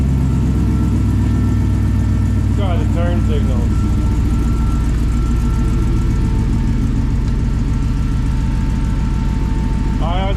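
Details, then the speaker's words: 1954 Chevy Bel Air with an LS V8 swap, new wiring harness, gas tank and radiator, right after the first cold start of the morning: a smooth, even idle with no stumbles or ticks; healthy. "so let's fire this thing up and um it was a cold start I haven't started it yet this morning"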